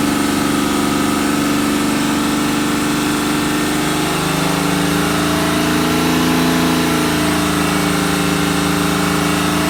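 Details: BMW N57D30 diesel at 325,000 km, held at raised revs: an uneven, misfire-like tapping runs through the drone. Chains, injectors and crankshaft pulley are new, and the sound is the same with or without the accessory belt. Cause unconfirmed.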